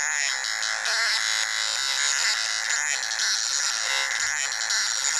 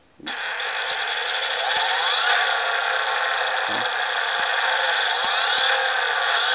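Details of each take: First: Motor driven by a synchronous torque controller with mark (pulse width) control being added: high buzzing whine shifting pitch like a tune as the controller deliberately varies the mark length. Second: Brushless motor under PWM mark-control torque algorithm: even high electronic whine with faint rising sweeps, running smoothly once power is sufficient. Normal running.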